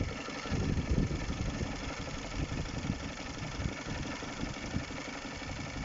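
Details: Honda K20A Type 4 engine at idle: a fast, even tapping runs through the steady idle note. It sounds like engine knock; the cause is not yet pinned down.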